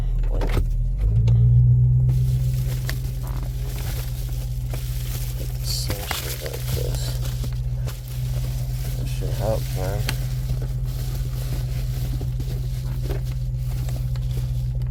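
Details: 1999 Honda Civic EK, semi-cold start after sitting in sun; deep loud steady rumble about four pulses a second with raspy exhaust note, possibly leaking header, unconfirmed; loud exhaust at idle.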